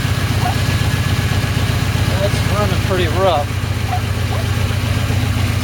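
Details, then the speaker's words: 1989 Pontiac Firebird barn find with 272,000 miles, sitting for years, first start on gasoline after starting on starting fluid: uneven, lumpy idle that stumbles and surges; rough running from fuel starvation, with fuel pump or relay suspected. "the main reason i got for all this work here i just want to make sure it's fuel bumper to relay or something like that that's causing it not to start obviously i have a fuel problem but i also want to make sure the motor is good since it has 272 000 miles on it"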